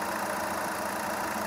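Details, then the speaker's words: VW Polo after two faulty injectors were repaired; settled idle with steady rumble, no stumbles, knocks or hunting, some smoke still visible; engine now smooth, no problem, normal idle. "Sound आप देख सकते हैं गाड़ी का बिल्कुल Sumo है कोई problem नहीं है इसमें"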